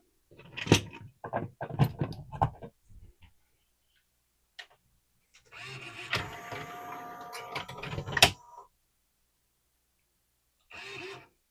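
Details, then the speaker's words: Pioneer CLD-3090 laserdisc player from July 1991, powered up after reseating the tray pin during repair: short bursts of motor whir with clicks and clunks that stall and restart; the tray loading mechanism is still binding. "Okay, something's still going on. Maybe we got to work it in there. Who knows? Just needs a slight shove."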